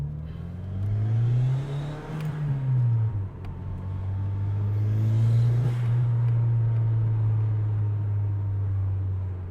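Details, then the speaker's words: Toyota Celica GT4 that stood for 10 years, road test with windows open listening for a noisy fuel pump after fuel-system work: engine pulls cleanly under load, smooth steady drone, no whine; pump not heard after 20 minutes, owner hopes it's fixed. "That fuel pump would have made noise by now. I've got the windows open so we can try to hear the fuel pump better. But I can't hear nothing."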